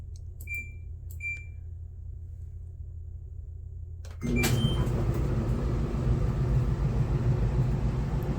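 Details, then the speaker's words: Kenmore Elite dryer, model 796.69002000, test-run after a DIY repair for running but not heating. Two beeps, then a steady, even drum rumble with no scraping or squeal: the dryer runs normally. "We're gonna plug it in and give it a little test run. That works."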